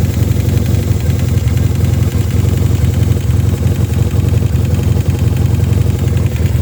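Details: 1986 Honda CB450S PC17 with tuned carbs (140 main jet, 35 pilot), pod filters, airbox removed, wrapped headers and loud SC Project mufflers: a deep idle with an irregular low knock, two to three per second, source unclear.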